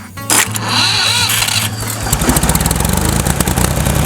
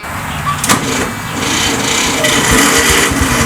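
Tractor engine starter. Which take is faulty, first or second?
second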